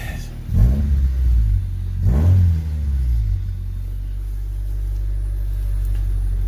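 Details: 1995 Honda Del Sol after 255 lph fuel pump install: two clean rev blips rising and falling smoothly, then steady even idle with no stumble; normal idle and revving.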